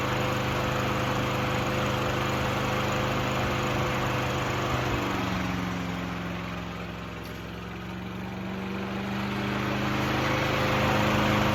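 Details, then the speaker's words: Craftsman 6.75HP self-propelled lawn mower after throttle cable moved to hold wide open (previously not idling high enough): steady even drone at full throttle, brief dip midway then recovers; runs pretty good. "right, guys. It runs pretty good."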